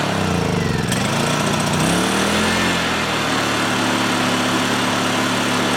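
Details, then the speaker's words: Honda EU2000i generator after carburetor cleaning, choke on, fuel on: it starts ragged, with pitch hunting for about two seconds, then settles to a steadier hum. A carburetor return spring is suspected to have popped off. Unsettled running. "let that run for just a second see if it clears itself up Okay so I just caught something here and I got a feeling we missed a return spring somehow popped off that carburetor"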